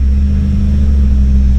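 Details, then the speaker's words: Jeep Cherokee engine under load: deep steady drone that labours and never picks up. Engine bogging under load; owner suspects ignition timing is off. "she sounds like she's off like like the it sounds like the timing's off anytime i try to"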